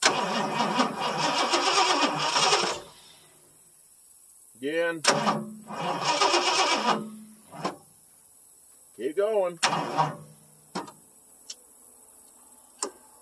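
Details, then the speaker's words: 1977 Ford F150 with a 460 V8 on an old battery: the starter grinds over laboriously at about three turns a second, then gives short weak cranks. The battery is suspected, and jumper cables are being fetched. "think my old batter going to hold up there well I grab some jum CES"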